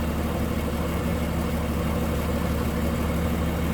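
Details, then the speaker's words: 1946 Plymouth Special De Luxe, 217 cubic inch inline six, 6-volt system, hood open in engine bay: low, smooth, even idle hum without knocks, ticks or misses, like a sewing machine; normal idle. "Like a sewing machine. 217 cubic inch, inline 6. It's a smooth runner."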